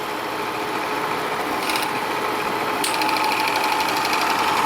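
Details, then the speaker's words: Bell & Howell 255A Autoload 8mm projector running forward, motor with two fans cooling itself and the 150 W bulb: fast dry mechanical chatter about 3-4 beats a second over fan whir; dry shutter mechanism needing lubrication. "so I can tell you right now I've got to definitely lubricate the shutter mechanism."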